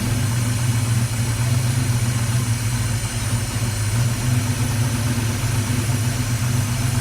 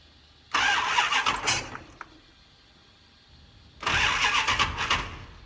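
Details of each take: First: Dodge Challenger V8 just after first start following fuel system refill, timing possibly advanced and throttle blades unadjusted: steady, deep, even idle with no lifter rattle, grinding or scraping; healthy. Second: Dodge Challenger first start after fuel system refill and computer base programming, throttle blades not yet adjusted: two labored cranking bursts that never catch; hard start, cause not confirmed.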